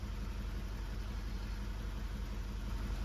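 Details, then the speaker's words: 2016 Mazda 3 2.2 Skyactiv diesel, off the road six weeks, misfiring from a failed injector; idle shudders and stumbles about three beats a second, running very badly. "it's running really really bad at this point in time"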